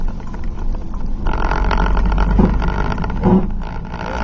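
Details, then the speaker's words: 2005 Chevy Silverado 4x4 standard cab, 5-speed manual, recorded in the cab while driving: rough, irregular front-end grinding that swells and fades, intermittent, more on turns. Owner suspects front differential, sticking electronic servo or a hub bearing. "now this kind of only does it when it wants to it doesn't really do it all the time seems to do it more on turns it has done on the straightaway and it has done it with different intensities"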